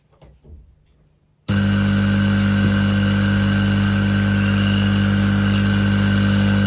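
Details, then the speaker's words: New koi pond air pump bench-tested on a hard table without rubber feet and with no fitting on the outlet: steady buzzing hum plus rushing hiss of air from the open outlet; runs evenly, no rattle. "bearing in mind that there's no thing on the end there to control the air so what you can hear is the air coming out"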